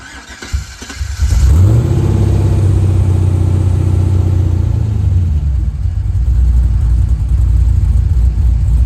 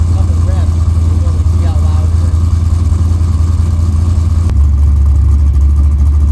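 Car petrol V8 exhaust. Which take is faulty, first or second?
second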